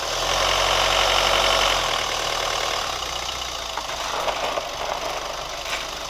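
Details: New Chevy Colorado at steady idle: light quick even ticking about four per second; source of the tick unconfirmed.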